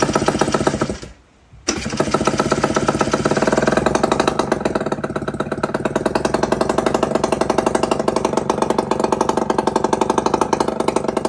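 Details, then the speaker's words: 1999 RS50 two-stroke, hard starting, with the battery dead, run with the exhaust off: a buzzy, fast, uneven popping beat held on throttle, with a brief drop; it won't idle. Owner suspects the missing carburetor idle adjust screw. "I'm missing the idle adjust screw on this carburetor so I'm gonna try and find one and uh we'll see if that could fix my idling problem"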